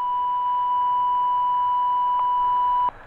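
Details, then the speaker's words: Beechcraft Premier 1 jet preflight stall warning test with stick shaker and stick pusher: a steady high tone near 1 kHz holds for about three seconds, then cuts off. "all right stall warning this thing has a stick Pusher in it I'll show you it's got a shake there's the Shaker and the tone you hear the tone right"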